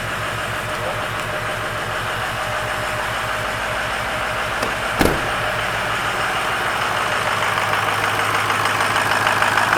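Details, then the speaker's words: After replacing driver-side battery with a Motorcraft unit and new positive terminal, about 50°F: steady even idle with soft regular pulse, no knocks or misses; healthy normal idle. "oh yeah that sounds nice [Applause] that sounded pretty good"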